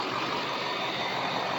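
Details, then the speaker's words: Diesel truck idling steady and even with a smooth, unbroken clatter, no skips or stumbles, after 3½ months of chasing a misfire and major hesitation and after fitting a new starter. The misfire is gone and the engine sounds healthy. "But, I mean, listen to how beautiful this engine sounds."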